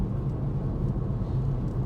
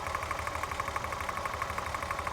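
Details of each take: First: VW Corrado VR6 driving home after repair of a horrible clicking and trembling fault: low, even engine rumble under way with no shudder or jerking; running smoothly as it should. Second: VW Corrado VR6 idling: fast even ticking at roughly six to seven clicks a second rides over the idle; loose spark plug leads causing a misfire, later fixed.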